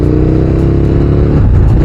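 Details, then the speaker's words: KTM Super Duke 1290 R on a road test during a used-bike inspection, shifting through second to fifth with traction control working: strong rising revs and a quick clean drop and pickup at each shift, with no clunk or slip. "let's start testing the changes So we have second third fourth fifth"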